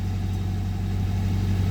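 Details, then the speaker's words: Toyota 22RE long block from a '92 donor engine at 204,138 miles, first start with good oil pressure: steady, even, quiet low hum at idle with no knocks, ticks or misses. So quiet the injectors can be heard; running smooth. "is quiet sounds quiet oh my God I think I can even hear the injectors"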